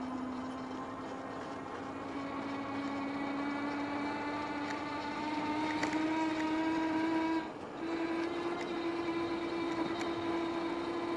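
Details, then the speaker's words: KBO Breeze e-bike hub motor on a throttle-only range test, climbing a long steep hill at about 12 mph after roughly two hours of riding, motor likely warm: a steady whine rising with speed under load that vibrates the whole frame. "You hear it whining now, shaking this frame. It's the only motor that I've had on my e-bikes that have vibrated the entire frame."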